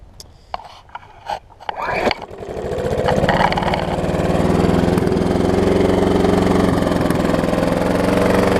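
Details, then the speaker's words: Troy-Bilt self-propelled mower with blown Briggs engine, heavy blow-by and smoke: pull-starts, then runs wide open with rough uneven knock underneath; engine failure suspected. "You hear it knocking too. Fun sounds."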